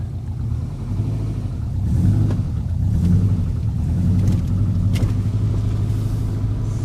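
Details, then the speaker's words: Fully built Subaru WRX at idle after the coolant was bled, just after fixing the exhaust cams on cylinders 2 and 4, which were two teeth out of time: a deep, even rumble with no ticking. Idle is now normal; a very slight click reportedly remains. "Let's go see how it operates. Oh, so much better. Heck yeah, dude."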